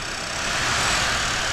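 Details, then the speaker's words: 2009 Ford Focus blower fan, test motor plugged in to verify resistor and controls: loud steady air rush with coarse hum at second speed; blower sounds rough, possibly out-of-balance cage, wrong replacement motor. "It doesn't sound very good, so it's like the cage is out of balance or something. Yeah, I'm glad it's the wrong blower motor because this one sounds like shit."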